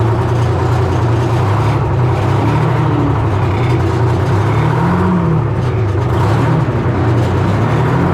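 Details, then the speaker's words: 1970 Hough International H60 payloader, Detroit Diesel 3-71, running under load with bucket working: wavering low whine rising and falling over the diesel note — hydraulic pump starved and whining because hydraulic fluid is way low; it still moves. "It's low on hydraulic fluid. But it does move."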